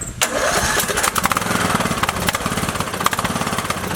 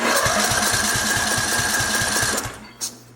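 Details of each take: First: Craftsman LT2000 with Briggs & Stratton 19.5 OHV engine, after new pushrods, guide plate and rocker cover gasket following sudden death while mowing: cranks briefly, catches at once, settles into steady even single-cylinder idle; normal start and idle. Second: Craftsman LT2000, Briggs & Stratton 19.5 OHV engine, compression test while cranking: fast light puffs about 220 a minute, never catches, gauge only reaches 30 psi versus hoped 40+; low compression traced to sheared push rod, valve not opening.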